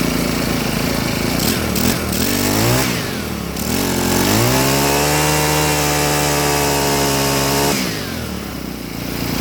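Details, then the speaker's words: Husqvarna 324L two-stroke trimmer after carburetor fuel line repair: revs up then sags and hunts, pitch wandering; owner thinks the mixture needs adjusting, but the mixture screw is capped. "sounds like it needs to be adjusted. Let me see if I can adjust this."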